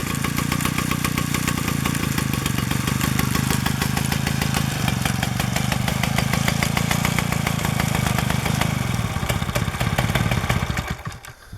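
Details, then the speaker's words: Restored 1947 Danarm Junior Mk1 chainsaw with new coil, condenser and bearings, run on a drop of fuel with no tank fitted: crisp, even two-stroke popping for about ten seconds, then a clean shutdown; runs, and the clutch operates fully. "There she is, she runs, and the clutch operates fully, which is good."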